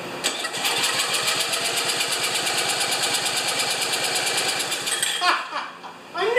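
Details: Ariens 2+2 snowblower engine, primed with gas and choke, just after head bolts refitted and wrong coil fitted: rapid even pull-over pulses for about five seconds with no firing; cranks but does not start.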